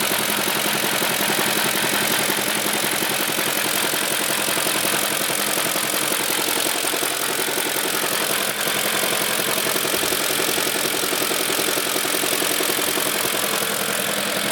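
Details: BMW E38 with M62 V8 idling: a fairly steady knock, roughly two taps a second, under a busy top-end whir; knock present at idle, cause unknown.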